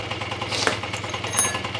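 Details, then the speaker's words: Honda Dio 27 scooter, AF-24 two-stroke engine rebuilt from scratch to cure a knock, first run at low revs to bed in the crankshaft seals: a quick, light, evenly spaced putter with no knocking; a smooth, normal idle. "еще раз за видео предатель мягко работает без каких-либо других лишних звуков"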